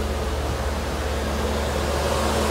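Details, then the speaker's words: Mercedes W124 at idle with AC on high, cooling fans switched to high speed via an added manual switch because the high-speed auxiliary fan function failed: steady even rush of air, fans audible but not horribly noisy, running normally. "you can hear that high speed fan. Fans. Not horrible noisy, but you can hear it. That's for sure."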